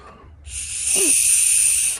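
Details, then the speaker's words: 2017 Ford Explorer Police Interceptor Utility with small EVAP leak code P0456: purge valve removed from engine bay and blown through; steady airy hiss as air passes a valve that should be closed, so it leaks and is defective, to be replaced. "don't know if you could hear it areas passing through so this valve is defective"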